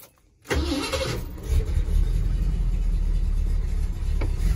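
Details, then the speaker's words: Truck with the choke not hooked up: silence, then it catches on the first crank into a slightly uneven low rumble. It needs nursing because the choke isn't set up. "so it needs to be nursed along but listen to it friends listen to the truck yeah the chokes not set up listen to that"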